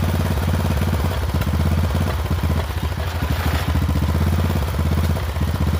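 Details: Poulan XT 12538 riding mower, 12.5 hp single-cylinder, 38-inch deck, carburetor had leaked fuel into crankcase and been replaced; low thump surging and sagging about every second with uneven beats and clatter, runs rough; owner suspects valve adjustment, unconfirmed.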